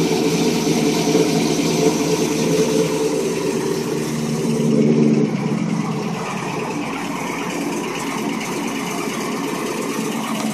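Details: Pontiac G8 at idle after cold start: light, fairly quick ticking over the engine hum, around four a second; valvetrain or injector tick, cause unconfirmed.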